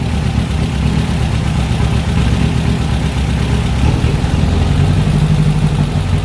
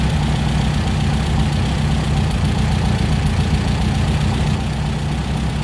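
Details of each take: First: VW Fusca with TBI injection at idle: steady air-cooled idle whose rpm climbs for a few seconds when fuel is sprayed at the intake manifold base. This reveals a vacuum leak at the intake manifold gasket. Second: Injected VW Beetle (Fusca) air-cooled engine with four TBIs after resurfacing the intake manifold bases and fitting new gaskets to cure a false air leak: steady, even idle, deep rumble, no hunting; rpm now stable.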